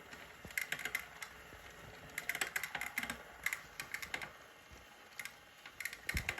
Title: Clicking Noise Zwift bike